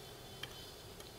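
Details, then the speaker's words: M3D Crane series 3D printer Z-axis, leadscrew nut spring washers set just engaging: a few faint irregular light ticks as the nut moves slightly up and down; correct preload for alignment. "end result will be able to move up and down just a tiny bit and kind of hear it clicking that's good enough to start with"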